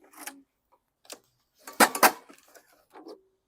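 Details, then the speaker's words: 2015 mower pulled over without starting; its deck is rotted so badly that the blade strikes it, heard as a few dry metallic scrapes and clanks with no firing; the engine has the longer-style shaft. "You can hear this one. The deck is so rotted, the blade's hitting the deck, so I can't start this"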